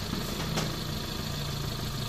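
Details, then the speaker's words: 2008 Hyundai i10 automatic, after top overhaul (compression 125) to fix misfire: steady, even idle with smooth low hum, no stumbles or skips; exhaust pulses even, misfire gone, engine now responsive. "Wala ng kapalya-palya. Read nga natin konti. Responsive na."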